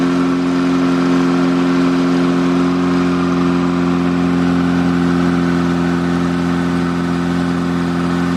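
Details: Rebuilt air-cooled VW Beetle flat-four on first start for cam break-in: steady even fast idle with smooth low drone, no knocks or ticks; normal running.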